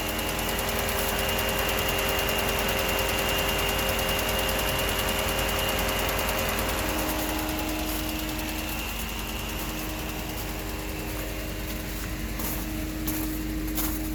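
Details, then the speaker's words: 2011 Mercedes-Benz during a pre-purchase inspection, before the test drive: the engine is fairly loud at idle under a constant airy rush and thin high tone; the cooling fan runs constantly without cycling off. "as you can hear the engine is pretty loud and the fan is on all the time"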